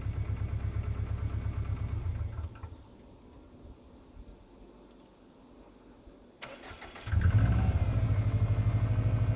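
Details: Subaru Impreza WRX GC8 with EJ20G turbo engine: runs, cuts out, restarts with a dull, even tapping knock inside the engine. Driven a year like this, plus 2 years by the previous owner. Others say forged internals knock; owner suspects a connecting rod. Unconfirmed.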